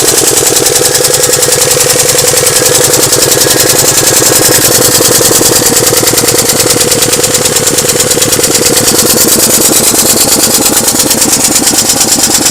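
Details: Alfa Romeo engine with loud, rapid metallic knocking hammering without letup; began as light noise and now detonates under load; severe knock, source not yet found.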